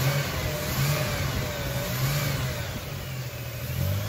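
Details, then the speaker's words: 2000 Toyota 4Runner with a non-working fuel pump, running on a DIY fuel vapor system: steady drone with a slightly uneven, lumpy note underneath. Mild misfire remains; owner suspects the still-unconnected mass airflow sensor. "still has a little bit of a misfire so I think we got it we're gonna have to work on the mass airflow sensor and get this mass airflow sensor working"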